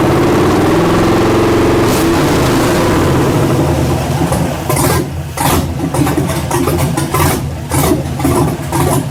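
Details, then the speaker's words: 1967 Chevelle with LS swap on first start, stage 17 cam, no MAP sensor and no mass airflow sensor: the big V8 fires and catches, then runs lumpy with uneven surges and dips; rough running, cause suspected. "that sounds cool real big that's a stage 17 cam so we have absolutely no uh map sensor and we have no mass air flow so it's probably not running like running like it should but it runs"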